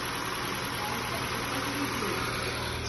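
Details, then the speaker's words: Ford New Fiesta, Sigma engine, 121,000 km, cold first start: light, fast, uneven knocking from low in the block about four per second; piston skirt slap expected to fade once warm. "barulho na parte de baixo saia de pistão de motor"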